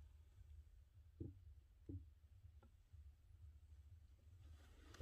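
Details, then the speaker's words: Honda Accord CU3 clutch pedal after re-lubricating the clutch linkage and pedal area with lithium grease, spring removed: soft pedal thumps over a low hum, no squeak. "so i sprayed all around in there as well and that seems to have worked if you listen now"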